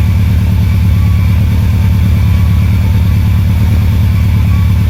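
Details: Subaru Impreza WRX engine after rebuild, brief test fire without coolant: deep steady rumble with even low pulses and no knocks, misses or hunting; the engine idles cleanly and healthy.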